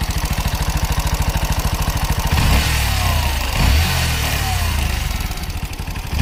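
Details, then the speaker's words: Bajaj NS 125 motorcycle single-cylinder engine at idle and through the revs: a steady, fast clatter as the timing chain slaps because its tensioner has gone loose. "ఈ ఇలా engine sound ఉందని మన దగ్గరికి అయితే తీసుకొని వచ్చారు అలా రావడానికి గల కారణం ఏమిటంటే లోపల ఉన్న టైమింగ్ చైన్ టెన్షనర్ వాల్స్ దీనికి లూస్ అవ్వడం వల్ల మనకి ఆ సౌండ్ అయితే క్రియేట్ అవుతు"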